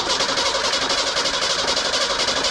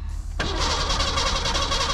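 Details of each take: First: Junkyard 1987 Ford Bronco II, manual, first start after fuel filter/pump work: brief knock at start, then settles to an even, whisper-quiet idle with no misfire and no smoke; owner suspects blown head gasket; normal idle. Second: 1987 Ford Bronco II, manual, in neutral with the clutch in: strong, steady cranking that never catches, with no fuel pump hum underneath. The fuel pump or its relay is suspected. The engine cranks but won't start.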